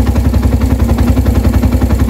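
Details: Suzuki Thunder 125 after repairing a broken wire behind a charging problem and stalling: even thumping idle of about eight pulses a second, steady and unbroken; healthy, charging about 13.2–14.3 V.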